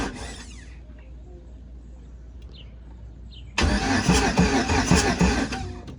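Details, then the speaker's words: 1988 Pontiac Trans Am with 5.3 LM7 LS swap, first startup after wiring work: loud steady cranking about three beats per second that never catches, no spark; a ground was found off and refitted before retrying. "i got no spark all right so that was the first one y'all"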